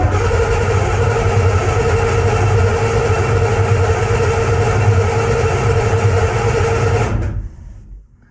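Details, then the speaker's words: 1981 Chevy C1500, freshly built cammed 350 small block, cranking to build oil pressure before first start: even strong cranking at about three beats a second; oil pressure comes up fast and high, normal cranking. "If we crank this thing over, it's probably going to take a minute, but we should get a decent amount of oil pressure."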